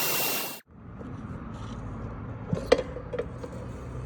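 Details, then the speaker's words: Bus after steering repair for a knocking/clicking complaint: low, steady rumble while steering, only a few faint light taps, no loud knocking. "ما شاء الله تبارك الله هذا بعد التزبيط هذا الاستيام"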